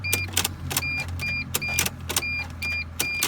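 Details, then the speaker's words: Mercedes Sprinter van no-start: sharp irregular clicks at each key turn over a steady warning chime, engine never cranks; owner doubts a power issue, cause not confirmed. "so here's what's going on take a very close listen once I once I turn the key look at this little click"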